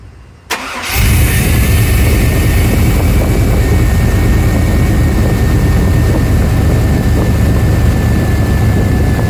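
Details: 1994 Suburban LS swap, bored intake and throttle body, just after a TPS sensor swap, cold start. Engine cranks and settles into a steady, slightly high idle around 1000 rpm, which may drop as it warms.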